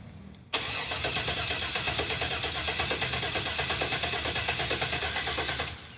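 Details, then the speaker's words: 1966 Corvette off the road since 1993, first start attempt: steady cranking at about three turns a second with even compression beats and no firing; the fuel relay clicks. "we got fuel up here yet that's clicking the fuel relay nothing nothing how about now nope"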